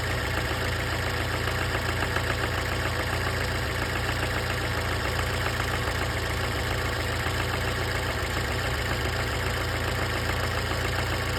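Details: 1996 Fiat Punto Mk1 Cabrio S petrol engine idling steadily with a dull repeating knock tapping through the low hum.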